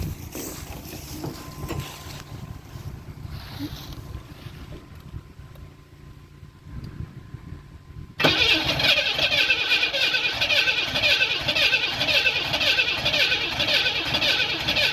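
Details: 1991 Camaro 3.1 L crank-no-start after replacing the corroded distributor ignition module and rotor: starter spins evenly about seven seconds, never catches; only fires on starting fluid, so fuel pump pressure (about 40 psi expected) is checked next.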